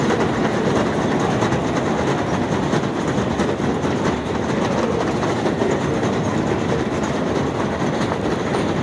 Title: New York City up-close - noisy escalator, 11/21/18